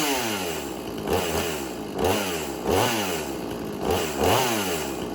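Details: Extreme Power 8200 XP two-stroke chainsaw, chain freshly sharpened, idling cold-to-slightly-warm. Gentle rhythmic rise and fall in pitch, put down to being cold; it should idle faster when hot. Keeps running without stalling: normal idle.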